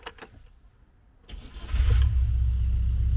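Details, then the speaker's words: Classic Mini Cooper with a new full exhaust and its throttle idle switch unplugged: brief crank, then it catches and settles into a steady but fast idle; high idle until the switch is fixed. "it does r it idles a bit high so I do need to get the switch fixed but now"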